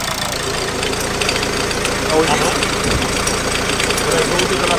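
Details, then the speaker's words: Dacia Logan 1.8L at idle and accelerating: rough idle with uneven rattle and light knocking from the accessory belt drive, not the gearbox as the owner thought; accessory drive pulleys including alternator to be checked. "This is the noise. But this is not a noise made by the gearbox. It actually comes from the accessories kit."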